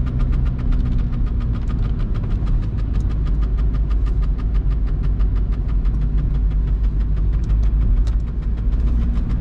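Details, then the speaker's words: VW Golf Mk3 1.9 TDI 90 hp (1Z) diesel on a rainy test drive: steady rapid ticking over the low diesel drone, with a light rub from the rear where the handbrake cable touches the rear tyre. "some noise is here from the back i should check what's going on with this old lady"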